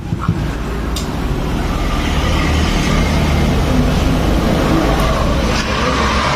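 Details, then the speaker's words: Fuel-injected Honda Revo motorcycle, after repair of a tok-tok knock from the right-side clutch area at idle, filter cleaned and oil refilled: smooth, steady idle with an even low putter and no tapping knock; engine sounds healthy. "yang seharusnya secara teori ini suaranya udah hilang"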